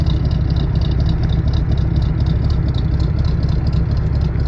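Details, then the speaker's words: 1967 Oldsmobile Toronado Deluxe V8, 92,434 miles, heard at the exhaust; deep, even low rumble at idle, no skips, stumbles, pops, smoke or misfire; healthy, well cared-for engine. "Car runs very nicely. It was clearly well cared for, as you can hear out the exhaust here."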